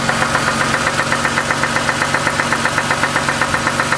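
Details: Ford Mustang engine: a sharp, regular knock over the idle that keeps time with engine speed; the owner suspects the valvetrain but is not certain.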